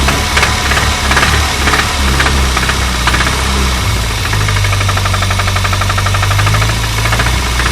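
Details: Renault 25 engine running with a sharp, regular knock that keeps time with engine speed; the owner asks what is knocking, source not yet identified.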